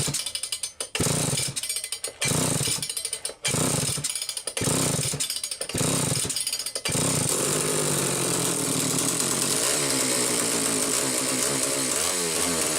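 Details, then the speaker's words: Homelite 750 chainsaw after clutch drum centring, missing washers fitted and duckbill valve in oil cap: blipped several times then held at steady high revs; snappy, clean pickup, even scream, no stumbling or misfire. "my god that sounds awesome I never get enough of these saws"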